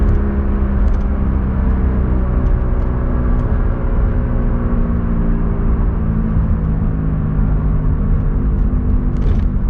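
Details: Rear wheel bearing heard while driving: a deep, steady growl under the road noise from the worn bearing, compared before and after replacement with a new one.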